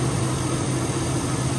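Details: 2001 Chevy Silverado 5.3 V8 idling after alternator replacement, battery reading about 13.8 V: steady, even low rumble with no stumbles or knocks; earlier idle issue likely from very low battery.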